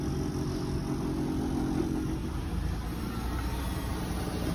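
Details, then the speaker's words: 2015 Nissan Quest at auction, started right up with a jump and moved forward and backward: quiet, even low hum with no knocks, misses or rattles; sounds pretty good, normal idle. "Engine compartment. Sounds pretty good."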